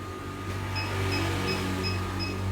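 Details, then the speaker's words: 2019 analog Atmega 2-in-1 hot air blower and soldering station, air set to 5 and temperature knob turned quickly to 1–2 o'clock: short high buzzer beeps about three a second over a faint hum while heating, until blinking shows it is stable. "Kalau ini diputar cepet, nanti buzzernya bunyi ya. Buzzernya akan bunyi Bang ya, kayak gini nih."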